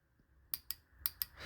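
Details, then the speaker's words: Motorcycle fuel injector off the bike, wired directly to a battery via a switch on the positive, before cleaning test: four sharp metallic clicks in two pairs as the injector opens; normal injector clicking. "Donc là, si je mets en route, vous entendez, c'est pas le bouton hein, qui fait clic-clic. C'est l'injecteur."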